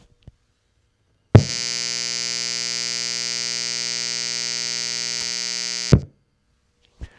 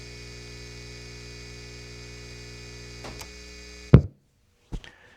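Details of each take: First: Device with its grounding pin snipped off, powered from the Anker SOLIX F3000's AC inverter: loud, steady buzzing hum starts at power-up and holds flat until switched off, audibly noisier than grid power. Inverter electrical noise. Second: Baseline test: old guitar amp powered from clean grid power before switching to an Anker SOLIX F3000 power station; a low, steady, even mains hum for about three seconds, then a few clicks and quiet. Normal mains hum.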